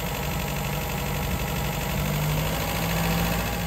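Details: Rebuilt 1953 MG TD engine on twin SU carburettors idling while warming up after timing was set and the carbs were balanced, before mixture adjustment; a steady even low rumble with no knocks or hunting, a normal healthy idle.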